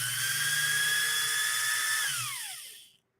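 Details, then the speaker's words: Pfaff 130-6 sewing machine with a Fauth motor peaking near 7000 RPM: a high fast whine holds, then sinks as it coasts down; the new cog belt slips on the high-output pulley. "can you hear that that's the that's we're peaking at almost 7000 RPMs and with this style belt it's just not it's not ideal"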